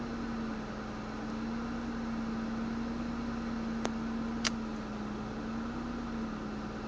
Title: Ford Mondeo ST220 rough idle